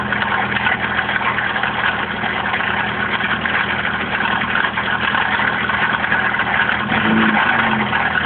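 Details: Opel X14XE engine at idle: uneven, rough ticking chatter with no clear steady beat; odd mechanical noise, owner suspects bottom end going, not confirmed.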